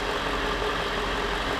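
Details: Truck engine at operating temperature with accessories off during a Genisys scan-tool test sequence that passed with no trouble codes: even, steady idle hum with no knocks, misses or surging; normal idle.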